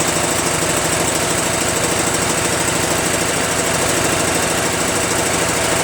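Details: Craftsman (Yard Machines) chipper shredder small single-cylinder flathead engine after starter replacement and valve-seat clean-up, covers refitted: steady, even running with a quick regular beat, no misses or knocks; healthy.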